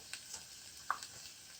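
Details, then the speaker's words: Old 12 HP Tecumseh XL engine just shut off after a test run: a quiet crackling hiss with sharp pops as oil splattered over the hot engine sizzles; the leak source is unknown. "Listen to the sizzle. Woo! Man alive. There's a lot of oil on it. Man, sounds like we're frying up a couple of steaks here."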